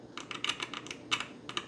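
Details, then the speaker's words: Vintage 1978 Milton Bradley Electronic Simon under repair: driver chip input tied to logic high with D-cell power gives short bursts of crisp crackling from the speaker, showing driver chip and speaker are working. "so you hear that crackling that's our speaker so that's working"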